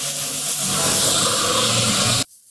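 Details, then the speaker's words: Heat pump during refrigerant charging: loud steady hiss of escaping gas for two seconds, then a sharp cutoff, while the fitting is tightened and the hose freezes. Refrigerant is leaking at the charging hose. "Tighten it. I'm tightening it. The hose is freezing. Tighten it. What's going on?"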